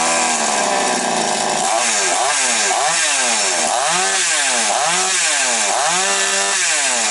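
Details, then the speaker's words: Chainsaw: at full throttle revs rise and fall in waves about once a second; slight fault from the worn carburetor needle lever, fuel metering unsteady at maximum rpm. "Є маленький грішок за голкою. Ну, але то таке вже чуть-чуть на максимальних підгулює, тобто порція палива трошечки не чіткає."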